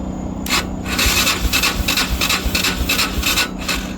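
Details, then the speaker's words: 2001 Honda Foreman 450 ATV with electrical issues, battery about 9–10 volts while cranking; uneven rasping starter bursts about three a second, never fires; spins but won't start, original issue is no spark. "So, the original issue with this machine is that it has no spark."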